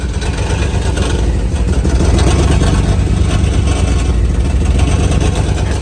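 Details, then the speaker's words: 2007 Mercedes GL450 V8 with random misfire and low power, rough unsteady hunting idle and loose metallic rattle from underneath; catalytic converter rattles inside when tapped, broken internals. "catalytic converter. If you tap it, it rattles on the inside."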